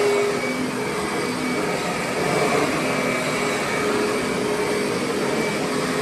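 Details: Curbside-found Kirby Sentria vacuum running; outer bag worn out. Even steady motor whine with smooth airflow hiss, no rattles or belt squeal; motor runs great.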